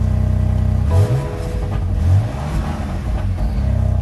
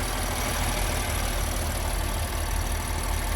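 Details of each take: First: 2019 BMW M4, 3.0L twin-turbo, 454 hp, cold start with quad exhaust tips: deep, even burble with smooth rises in revs, not loud, no rasp or ticking; normal exhaust sound. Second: 2019 BMW M4, 3.0L twin-turbo, 454 hp, at a dealer auction, engine bay open: steady idle with a faint light ticking, about two a second; driver unsure if normal, says it runs fine with power there; source unconfirmed.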